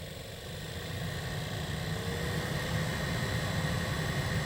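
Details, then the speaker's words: 2013 Toyota Highlander 2WD, 117,000 miles: cabin heater/AC fan at raised speed whooshes with rapid, uneven clicking from the failing blower motor behind the passenger footwell, due for replacement. "speed obviously all of you experts you know immediately what it is it's a typical for Tota vehicle vehicles and Honda vehicles the blower motor is failing and it starts clicking like this and it's time to get rid of it replace it with a new one"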